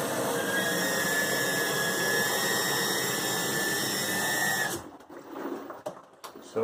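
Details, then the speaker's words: Nine-year-old LG washer, top removed: steady high-pitched squeal over rushing water as it fills continuously, stopping when flow stops; cold water inlet valve at fault, replaced. "but once it starts filling up continuously that's when it starts right there there's that high-pitched squeal"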